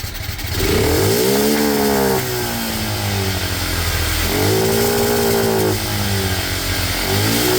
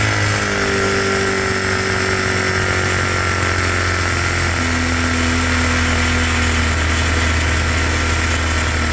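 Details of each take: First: Cheap monkey bike (small single, new head gasket, still smokes) after raising the carb needle one notch richer: blips rev up but climb lazily and are still slightly boggy on pick-up. The air-fuel screw is to be adjusted next. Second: Cheap single-cylinder monkey bike after a new head gasket (still smokes) and carb mixture screw adjustment: loud steady putter at an even pitch with no stumbling or hunting. Mixture is now about right and needs only fine tweaking.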